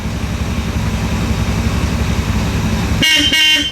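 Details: 1969 Road Runner with 500 miles, unstarted for about 25+ years, on a rebuilt carburetor; the engine idles steadily, then a clear, strong double honk sounds: the horn works properly.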